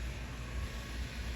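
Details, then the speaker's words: Avell Titanium 1511 laptop, back with shutdowns after owner fitted Carbonaut thermal pads: idle with no processes, processor cooler emits steady loud airy rush at high speed though not hot; technician suspects earlier overheating damaged circuits. "Ó, mas o cooler do processador tá rodando alto, ó. Vamos deixar a máquina aqui. Não tô fazendo nada, ó. A máquina tá sem nenhum processo. Olha o barulho que o cooler tá fazendo. Ó, tem alta rotação, ó."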